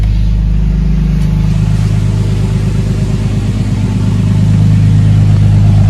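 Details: Big-turbo Nissan R32 Skyline on third start, owner-adjusted basemap, no boost, warming up: turbo engine revs with a hesitation then climbs, lots of pops and bangs; idle pretty okay; definitely not tuned, needs a tuner.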